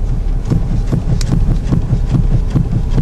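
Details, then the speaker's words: Car idling on the ground, steering wheel rocked quickly back and forth with wheels held on pavement: dull thumps about two per second from play on the driver's side, a worn tie rod end (passenger-side one recently replaced). "I don't know if you could hear that but it's a thump that means there's play in the system and so now I'm pretty convinced and it sounds like it's on the driver's side"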